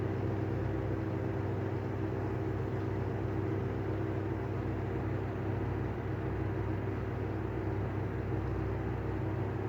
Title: Better catch of bad bearings on the Airflow exhaust fan